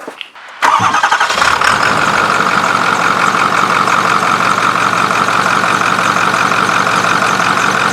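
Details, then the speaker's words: Ford 6.4 Powerstroke diesel truck starting after turbo work that did not cure it: starter catches quickly, then loud, slightly uneven clatter that never smooths out, with white smoke; owner suspects cracked pistons burning oil. "white smoke you know i thought diesel was supposed to be black smoke yeah no [ __ ] because the [ __ ] pistons are cracking it's chugging oil"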